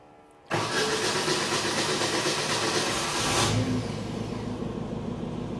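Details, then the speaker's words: Bobcat 542B skid steer, after throttle/governor repair, started up. It catches at once and settles into a steady, even idle, with a faint whirr from a noisy fuel pump. Throttle works great, normal idle. "it's idling probably Max yeah see it's working great"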